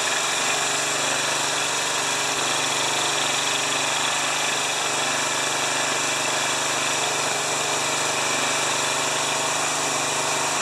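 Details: Briggs-powered pressure washer that wouldn't spray, started after carburetor refitted and old fuel swapped out: small petrol engine holds a steady, even buzz at constant speed, no misses or surging; running normally.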